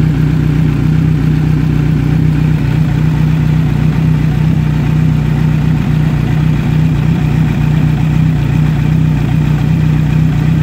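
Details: Kawasaki Z900 on its side stand, heard from left then right side: smooth, even idle hum with a steady low drone and no cam chain or valve ticking; well-maintained engine sounds healthy.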